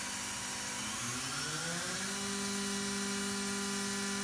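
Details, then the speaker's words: MultiCam 3000 series 3-204 5x10 CNC router, 5.5 HP Colombo spindle warming up from 6000 to 12000 rpm: smooth whine climbs steadily, then settles into an even clean tone; whisper quiet, no rough bearing noise, healthy. "as you can hear it is whisper quiet super smooth this machine is ready to go"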